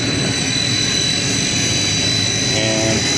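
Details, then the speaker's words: Second 60HP hot closed-loop pump motor run from the VFD through a newly fitted transfer switch, three-phase wired by colour; high steady whine with a rushing roar, spinning fast but moving little. Motor running in reverse; fix is swapping two phase wires. "sounds like the lar backwards so going really fast yep so yeah pump don't work too well when the poity you know three phases not right"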